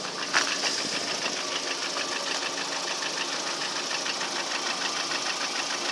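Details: Lada Priora engine one year later, only oil changed: sharp regular metallic knock about three beats a second; unexplained engine knock, source unknown.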